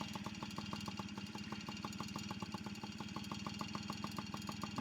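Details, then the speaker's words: Yamaha PW50 two-stroke after oil leak work: low, slightly uneven, lumpy stumbling idle, seeming to want to bog when given gas; cause not confirmed; rough idle. "so it's it's wanting to it's idling but it like when I give it to gas it sounds like it wants to"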